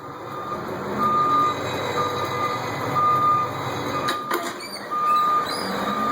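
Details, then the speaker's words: 1989 Chevrolet Thomas bus, newly installed Ecco 575 backup beeper wired off the transmission reverse light switch and mounted on a rear cross member; in reverse with hazards on, it gives a clear mid-pitched beep about once a second over the diesel rumble, working properly. "And I'll even give you a little backup alarm too if you want it. I'll put you in reverse."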